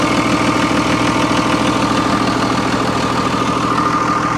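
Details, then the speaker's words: 2001 Freightliner MT45 ex-FedEx step van, 24-valve Cummins turbo diesel with Allison, bought listed non-running: engine cover off, even idle clatter at about three beats a second, no misses or knocks; purrs, a healthy diesel. "That sounds like a solid Cummins, baby. Listen how good that thing purrs."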